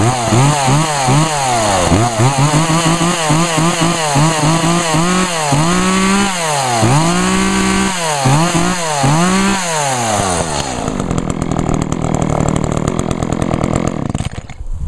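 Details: Echo chainsaw (2012 Echo CS 400), owned almost four years and run on ethanol-free fuel; a crisp two-stroke buzz climbs and falls cleanly through repeated throttle blips with no stumble, then bogs into cutting. Normal healthy revving; the chain oiler is spraying oil.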